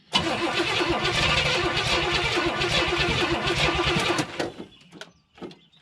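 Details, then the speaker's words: 1970 Pontiac Tempest revival, starter solenoid jumped and starting fluid sprayed down carb throat: starter grinds steadily about four seconds, engine nearly catching but never running; cranks but won't start. "It acts like it wants to. Ooh. Try it again."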